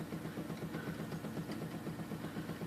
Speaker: it is the the bad center hub we call this the thumper so I just turned it on and you can hear it making a repetitive thumping sound